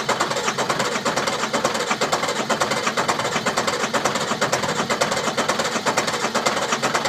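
Quick, even cranking pulses keep going without the engine ever catching or firing; it turns over but will not start.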